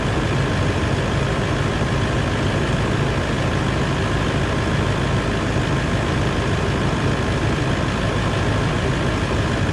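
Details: 200 Series LandCruiser diesel warming up at idle after a water pump replacement, with coolant freshly refilled and the thermostat yet to open. Smooth, unchanging rumble with no knocks or ticks. Normal idle.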